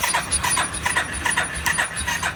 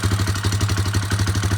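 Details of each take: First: Warrior #4 single-cylinder, about 1–1.5 hours on a rebuilt motor after valve adjustment, no tank fitted so fast idle may be fuel starvation: even light tapping, rattle much quieter than before (tensioner maxed, valves tapped earlier); runs good, normal idle. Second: Warrior single-cylinder after valve adjustment and exhaust tightening, with tapping earlier suspected from the maxed-out timing chain tensioner: even idle thump with a light tick on each beat; a small top-end tick remains.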